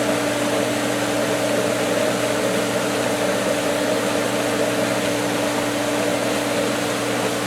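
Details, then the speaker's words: Pool pump at season opening, skimmer valve opened slightly on air-filled winterized lines. Steady hum under heavy, frothy churn that doesn't settle; pump pulling air instead of water, struggling to keep prime. "Oh, she's trying, but she's losing. It's sucking on it."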